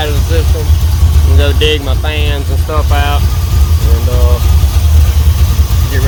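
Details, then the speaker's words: Chevrolet C10 V8 idling after refueling the carburetor, about five minutes running: deep, even, steady idle rumble; normal idle. "been running for about five minutes so far so good"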